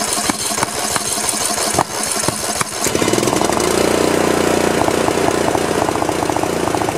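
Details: Old Snapper 1438S rear-engine riding mower after carburetor refitted and fuel flow restored: cranking clatter, then engine catches and settles into steady even run with clear ticking rhythm; running normally.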